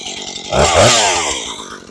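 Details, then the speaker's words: Husqvarna 435 chainsaw with idle speed correctly set: buzzy high drone with a brief rev surge, chain still spinning at idle; clutch suspected to be catching, clutch replacement shown. "Hey guys, have you recently adjusted the idle on your chainsaw and it's still spinning like this?"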